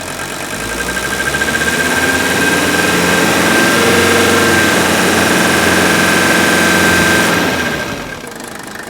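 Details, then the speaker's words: Older Mercedes OM617 turbo diesel during fuel-injection purge from cans, revved up a little: steady sharp injector rattle over the engine note; diesel injector rattle. "now it's going to stumble here a little bit because it's probably sucking a little air and you can definitely hear the rattle of the fuel injectors"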